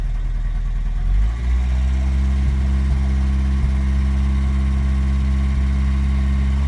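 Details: 1984 Toyota 22RE four-cylinder with timing chain, tensioner and guides done by previous owner; settles from a rev to low idle with faint irregular light ticks; source unclear.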